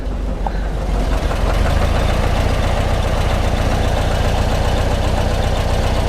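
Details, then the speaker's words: 1955 Porsche 356 Pre-A Speedster, stone cold flat-four started with a couple of pedal pumps and not warmed up: deep steady idle beat that stumbles now and then; mostly smooth but not completely, a baseline before tune-up. "it sounds smooth for the most part I mean it's stone cold of course doesn't sound too bad they're completely smooth though"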